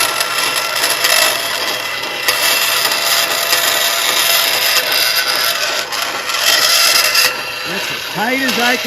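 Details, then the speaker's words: Bandsaw cutting sheet metal on the table without a riser at its tightest radius: steady harsh hiss, then warbling squeals near the end as the blade binds in the tight curve. "You can hear the blade. It was starting to bind up a little bit."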